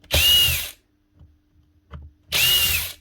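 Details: DeWalt DCM561P cordless strimmer that was not starting and kept stopping, run after re-tightening its loose shaft: two short bursts of high motor whine spin up cleanly and stop. Starts and runs normally.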